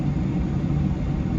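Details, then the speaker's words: VW T5 heater blower fan after a squeak fix with silicone spray and grease: a smooth, steady low whoosh, quiet on speed 1, with no squeak or chirp on settings 1 through 4. "Oh, wait a minute, the fan is on. But it's so quiet. Brilliant."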